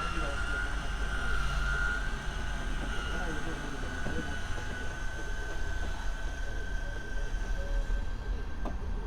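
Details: Ewiks auto movers on Infanta Enkulu 3 caravan disengaging with handbrake up, button held; even electric motor drone with thin steady whine until movers reach the end and stop, then a beep; normal retraction.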